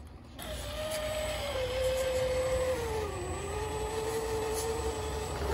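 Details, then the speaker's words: TRX-4 Sport single-speed transmission: electric motor whine sagging under load with a faint tick about three a second from the gearbox; clicking persists after clocking driveshafts, traced to excessive end play. "yep it did not go away still click"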